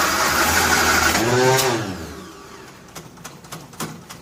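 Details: 1957 Nash Metropolitan barn find that sat for many years, start attempt with the manual choke and fuel pumped up: it catches with a rough, uneven rev for about two seconds, then dies into clunks. It won't keep running because two plug wires are crossed.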